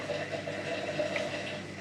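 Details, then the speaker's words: Indesit washing machine with fault code F05, after drain repair, on spin with pipe pulled out the back: steady rush of water down the waste pipe, no pump grind or gurgling; draining normally. "Yeah, so the water's going down the pipe, I can"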